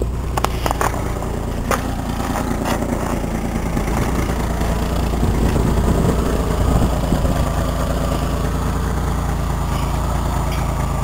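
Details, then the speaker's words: Truck after a new muffler was installed, tail pipe not yet added: even, muted low exhaust rumble with a steady beat and no rasp or leaks, much quieter than before. Normal running. "oh yeah I forgot you can obviously hear the difference now it's much more quiet in here now so"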